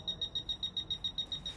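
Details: Fisher F-Pulse pinpointer air test: crisp high beeps about seven a second, speeding up as the target nears then fading; normal detection response.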